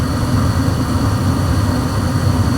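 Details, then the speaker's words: Old Trane 80% 80,000 BTU electronic-ignition furnace on a no-heat call, flame proven at the flame sensor, burner lit, blower not yet on; smooth, steady low roar with even whoosh, no surging, rattles or squeals. Normal furnace operation. "what it's going to do is whatever time it's set for it's going to uh give a chance to heat up and then you should hear the blower motor kick like here within next minute or"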